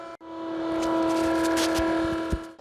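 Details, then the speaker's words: Bathroom exhaust fan after oiling only the bottom of the bearing: loud steady squeal over the hum, still noisy; owner suspects squeaking above the bearing where plastic rubs, next to spray WD-40 there. "So the first round of oilings didn't really work. I only put oil down at the bottom of this bearing. It might also be squeaking above that where the plastic is rubbing."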